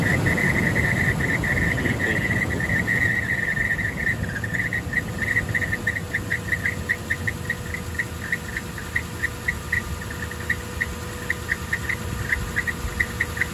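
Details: Toyota Land Cruiser 200 at startup: a high, thin squeak over the idle, steady at first and then chirping about twice a second, from a worn viscous fan clutch.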